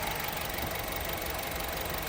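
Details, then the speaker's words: Honda City running on both gas and petrol, shaking, limited to 2,000 rpm and 40 km/h, check-engine light flashing: rough, lumpy idle. The misfire was caused by a failed ignition coil; the battery was also worn. "คันนี้ปัญหาเกิดจากนะครับคอยล์จุดระเบิดเสียนะฮะเลยทำให้เครื่องยนต์สั่นแล้วไฟรูปเครื่องยนต์กระพริบนะครับ"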